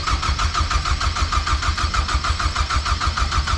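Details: BMW cranks steadily, about three turns a second, with no catch or rise in speed; it turns over but never fires. Crank position sensor fitment questioned and a filter housing leak noted; cause unconfirmed.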